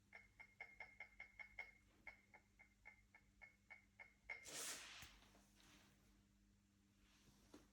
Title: Leica Q2 test rattling noise